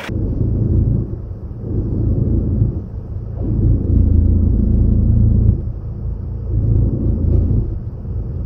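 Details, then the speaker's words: 2009 Mercedes E 220 CDI (125 kW, 152,000 km) droning loudly mainly under acceleration: deep, uneven drone swelling and fading with throttle, heavy low rumble; gearbox mount sags and is totally soft, letting the driveline vibrate the body. "das ist auch total weich hier und dann gibt's diese unglaubliche Vibration"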